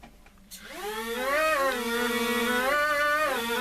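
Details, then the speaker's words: KFPlan Z55 Predator 660 mm RC plane bench test: motor whine rises as the throttle opens, then the pitch shifts as the built-in gyro corrects; healthy motor run. "So, props are turning. And if you can hear the change in pitch, it's because the built-in gyro is correcting to try and keep it level and doing whatever it's supposed to be doing."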